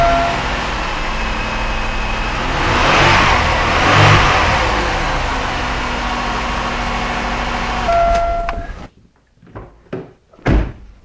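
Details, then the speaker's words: 1999 Chevrolet Malibu after reconditioning collapsed lifters (bottom end untouched), startup once lifters fill with oil: steady smooth idle, light hum, no ticking or tapping from top end; noise was lifters, valvetrain now quiet. "wow what a difference so I guess that uh shows it"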